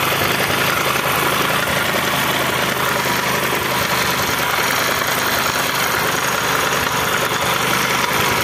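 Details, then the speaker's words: Discover 125cc motorcycle engine: harsh, rattly idle with a gritty rumble throughout and no smooth hum beneath it; the internal engine bearing is broken. "आप लोगों को थोड़ा दिखा भी रहा होगा अंदर का जो बैरिन है वह बैरी फूट गया है"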